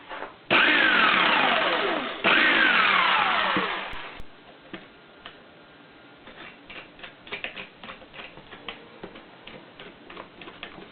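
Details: Rebuilt Skil 46A jigsaw/saber saw (previously had a bad lifting-rod bushing letting the blade turn and wander) tested after rebuild: two short bursts of smooth motor whir winding down evenly after switch-off, no grinding or rattle; saw runs fine.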